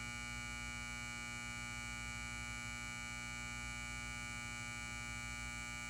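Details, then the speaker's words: Lithonia Lighting 250W pulse-start metal halide high-bay light, LumaSuper ED28 bulb, base up, M153/O ballast, 11 months old, turned on: a loud steady buzzy hum at constant pitch during warm-up; normal magnetic ballast hum. "And warning to headphone users, this bakelite has a loud ballast. So if you want to listen to the ballast very loudly, then turn up your volume."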